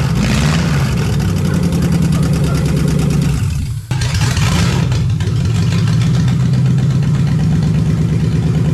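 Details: Lexus 1UZFE V8, barn find first run after 6 years standing, ATF in cylinders, out of the Jeep KJ: smooth steady low burble with even firing beat, no knocks or ticks; normal idle.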